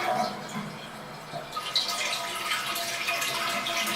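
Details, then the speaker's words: First-generation low-flow toilet: thin, weak flush with a whistling instead of a whoosh as it refills, air whistling through the hole in the failing fill valve, which never shuts off; fill valve being replaced. "pretty weak flush and I hope you can hear that that Whistling noise it should be more of a whoosh noise as water goes in to fill it"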